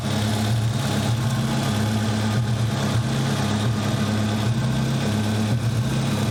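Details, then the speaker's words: 200SX turbo idling mostly steady, with a clattering sound like fan blades hitting the housing heard just before. Smoky, with a random intermittent misfire at idle. Cause suspected, not confirmed; vacuum leak checked. "Actually running pretty decent right now. Smoke. Certainly not great. It's got a random misfire to it."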